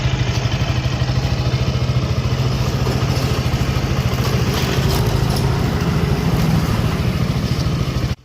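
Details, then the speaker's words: KTM RC/Duke 200 single, fairly new bike: fast, steady metallic timing-chain chatter over the idle beat; caused by faulty timing chain tensioner with loose spring, fixed by replacing the tensioner. "अगर इसी तरह की आवाज आपकी bike से आ रही है जैसे कि आपने देखी होगी इस वीडियो में तो आपको बिल्कुल भी घबराना नहीं है।"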